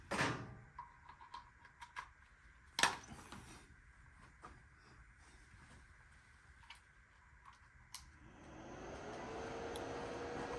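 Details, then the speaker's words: Laser power supply bench-tested: handling clicks, then a soft whir spins up to a steady hum; the supply's cooling fan runs, so the supply partly works, high voltage still untested. "All right, you can hear the fan is turning. So to some extent, the power supply is working, but who knows if we can drive a laser tube or not."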